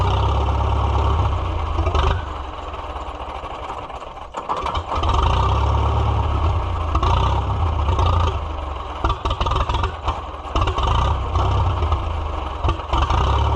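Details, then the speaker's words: Farmall F-12 tractor on steel, auction find being revived, air tube off, rusty tank, possible rust in carburetor: old four-cylinder thumps at a low, lumpy idle, repeatedly sagging and nearly dying before catching, then dies; owner suspects the choke, unconfirmed. "I was just about ready to drive it and then it died. My choke is not doing the thing right."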